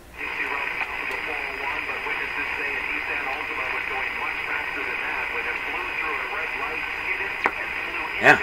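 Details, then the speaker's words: Radio with only a BK 3030 sweep generator connected: thin, steady high whistle over hiss near the top of the AM band, around 1540–1570, taken as an image-frequency heterodyne signal; generator output uncertain. "we're going to run it again and listen to it it's pretty distinct it's right at the top like a 1540 or so to me 1570."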